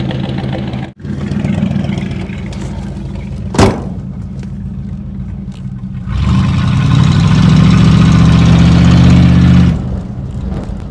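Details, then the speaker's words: 1969 Chrysler Newport 383 Magnum V8 with 12-inch glasspack exhaust, revived after over 40 years sitting: loud V8 idles then revs, beat lumpy and uneven; rough running, owner suspects clogged fuel filter. "so the car is running rough already uh I think it's because the fuel filter"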